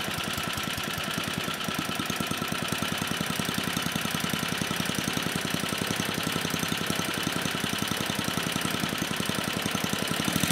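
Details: Troy-Bilt Tuffy tiller (model 12060), 34-year-old Tecumseh H30-35387Y single-cylinder, repaired after no compression, on a clone carburetor still being tuned: steady quick even exhaust beat, slightly lumpy; running normally.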